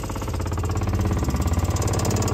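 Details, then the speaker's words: RV water pump, newly wired with crimps and temporarily mounted on wood, during a dump valve replacement: fast, even buzzing pulse rising slightly as pressure builds; pump runs and pressurizes normally. "Okay, turn off. Nice. All right, we have a functioning pump that pressurizes like it should."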